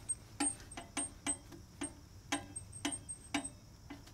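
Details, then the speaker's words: RV camper hub after a Hub Defender spacer and low-drag bearing install, spun by hand; light irregular ticks about twice a second as the brake shoes brush the drum. No end play, slight preload, hub spins freely. "what you're hearing is the back side of the brake there there is actually no end play it does feel like a little bit of preload but this The Hub still spins freely"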